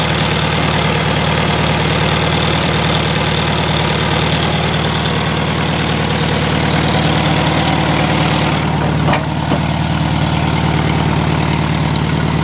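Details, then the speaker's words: 1971 VW Super Beetle air-cooled engine idling steadily and evenly with a smooth low drone, no knocks or misses, after carburetor cleaning, valve adjustment (all were too tight) and suspected debris in the tiny jet by the size 60 idle jet; idle later returned inconsistent. "And I think there was something actually inside that little tiny jet by the idle jet. And it seems to be working."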